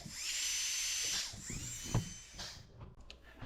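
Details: After foot pedal replacement on dental delivery unit, low-speed handpiece tested at about 35 on pressure gauge (expected around 35): steady high whir spins up, holds even speed about a second, winds down; normal, repair concluded.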